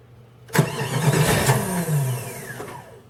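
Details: Jeep ZJ 5.2 L 318 V8, full-time 4WD, cold (below about 50°F) after priming fuel pump: uneven cranking chugs about two a second for two seconds before weak catch that fades; hard cold start, owner suspects ECM after replacing most sensors.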